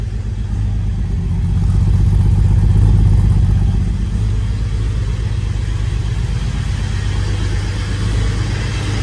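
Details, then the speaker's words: Holden VY Calais L67 V6 drift car, low on power with a rough idle since a track day, started after sitting just over a week: uneven, lumpy, loping idle with a faint rattle; misfiring, and one rear cylinder later shows lower exhaust temperature. "So I'm going to start it up and just show you exactly how it's running. So you can hear it's running rough."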